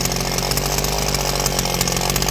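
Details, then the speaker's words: Southland tiller revived from trash, fuel tank holding, carburetor adjusted to hit its power band, running unloaded high; steady high buzzing note, no misses or surging, smooth and strong. "Runs like a charm. I got it adjusted there in the end after the camera was off to get it done. Got it adjusted there in the end where it just hitting its power band."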